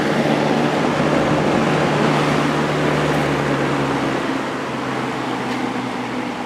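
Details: Vintage Kel Aire model 7000 box fan with a 3-speed Marco/McMillan motor, running on high after the motor was cleaned and oiled and the blade, grills and frame were washed. A steady hum and even whoosh of air with no rattles, scraping or ticking; motor and blades run smoothly.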